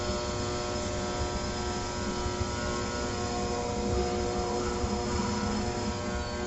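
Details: Trane XR80 gas furnace, lower burner panel open, gas running: a steady strained hum with faint rough churning and no rising fan whoosh; the blower motor is trying but failing to start while everything else runs.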